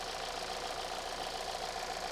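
Steady, even idle with a light ticking rhythm and no stumbles or dropouts; engine sounds smooth and healthy on all cylinders.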